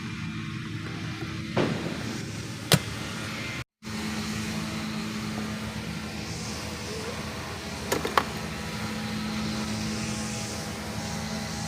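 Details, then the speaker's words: Honda Click 125i V2 scooter that used to stall, idle adjusted, now running in the morning; steady even idle hum with a few handling clicks, holding without faltering: normal idle. "Ayan mga tol okay na yung takbo niya bale hindi na siya namamatayan ng ano ng makina"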